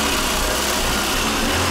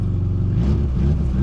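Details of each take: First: 1999 VAZ 21099 after refitting exhaust and oil change: steady even idle with smooth exhaust note, no puffing or blowing; normal idle, exhaust sealed. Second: 1999 VAZ 21099 with Akrapovic exhaust, new battery, at startup: deep, uneven burbling idle with puffing pulses in the low rumble; exhaust leak, owner plans to find and replace exhaust.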